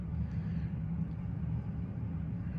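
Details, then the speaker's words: Central AC condenser running normally after the defective thermostat was replaced with a White Rodgers Emerson Series 80 set to 60; steady, deep, even compressor and fan hum with no rattle or buzzing, and cool air is coming out. "we're walking up to the condenser as you can probably hear our compressors running obviously fans running and pretty cool air coming out so we're gonna let it run make sure everything's working properly and we should be good to go"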